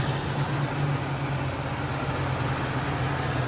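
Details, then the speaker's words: Buick Grand Camino custom with a 305 V8 swapped in for the 3.8 turbo, aftermarket headers: steady, deep, even idle rumble, healthy-sounding; a slight exhaust leak is suspected when revved. "Yeah, go ahead and start it up, April. Wizard can begin his inspection. Sounds healthy."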